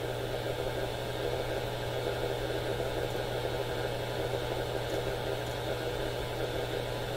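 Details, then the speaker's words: AM radio scanned below and across broadcast band; steady hiss with low even hum, no stations, interference much stronger than broadcasts; owner suspects smart power meter on house service: radio interference noise. "None of these are regular radio stations. All noise all throughout the AM radio band."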